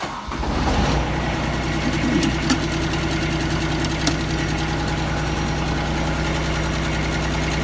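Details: Kubota ZD326 zero-turn mower after deck belt replacement, pulley and gearbox rework: engine catches quickly and settles into a steady, even idle with no knocks or misses; normal start and idle.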